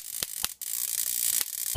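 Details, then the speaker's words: Homemade 20–30 kV DC ion-chair power supply at about 22,000 volts, positive side shorted to an 8-foot ground rod: constant high squealing hiss with sharp snapping pops as it arcs through poor insulation that needs better insulating. "So you can kind of hear it squeal. Hear that pop? When I short the positive side to ground, it's discharging up here."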